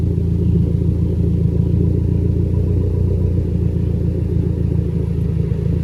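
Low, loud idle rumble with an uneven, occasionally stumbling beat; a mild misfire is still there, though less pronounced.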